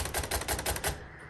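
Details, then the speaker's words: 1956 Royal Quiet Deluxe manual typewriter, left margin being set: a quick run of crisp, even mechanical clicks, about six in under a second, then quiet; the margin-set mechanism works normally. "I'm gonna put my left margin here, and I'm just gonna hit this, and you can hear that click, and that set it."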